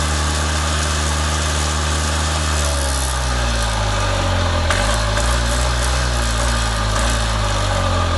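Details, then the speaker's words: Columbia Parcar golf cart revived after not turning over, now running with oil smell, old gas still in tank; low, even putter with steady beat, no misses or knocks; normal idle. "it runs and I can smell the oil, so it's definitely getting oil."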